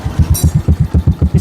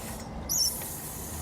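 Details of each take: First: Yamaha Jupiter Z (old) / Vega R New, which growled and would not drop back at mid rpm: steady, even single-cylinder idle with no misses; idle is normal. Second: Yamaha Jupiter Z (old) / Vega R New, test run after refitting the carburetor: engine catches and runs with an uneven, wavering beat that sags instead of pulling cleanly, growling and bogging at mid RPM (40–60) from a faulty carburetor.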